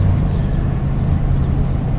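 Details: Self-built camper van on test drive after replacing a wrongly sized part (off by 60 thousandths of an inch) causing a noise, unloaded of motorbike and rack: low even road rumble, no clunks, knocks or whine; repair fixed it, normal driving.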